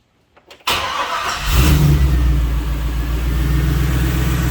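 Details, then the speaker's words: Jeep V8 with new exhaust, after fixing a miss: fuel pump primes, quick crank, catches at once, settles into a smooth steady idle; still needs a tune, possibly slightly rich. "And we'll start it up real quick just so you guys can hear how easy it starts and idles. Fuel pump kicks right on and it just starts up and purrs."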